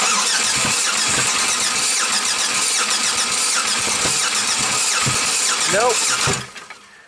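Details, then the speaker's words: 1997 Buick Century 3.1 (3100) V6 that barely starts after plugs, wires, coils and ICM were replaced, cranked with the oil filter removed. Steady rapid cranking that never fires; zero oil pressure with the oil level full, and the valves were seen not working. Cause not yet confirmed. "we're done zero oil pressure you're right now why um the oil level is definitely good we checked that it's on full not good news for this 3100"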